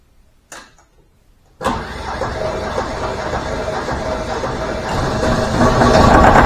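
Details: Deutz 1011 two-cylinder diesel driving an air compressor, after being taken apart and repaired for very rough running, fuel system not bled: starts at once, no smoke, smooth steady even idle with no misses or knocks; normal idle.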